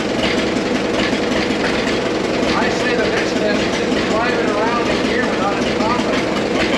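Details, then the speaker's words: 100-year-old Caterpillar machine, warm on a hot day after fitting a $55 part and adjustments: steady, even drone with no misses, pops or stumbles; smoothest it has ever run, normal running. "this is the smoothest it's ever ran since we've had it everything's pretty well adjusted"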